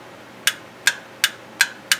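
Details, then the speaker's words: Mitsubishi F4A33/W4A33 automatic transmission shift solenoid A/B (orange and yellow wires), bench-tested with a Milwaukee M12 battery: five crisp clicks two to three a second as the plunger bottoms out. This is a healthy solenoid. "so listen to this hear that plunger moving and bottoming out inside the solenoid"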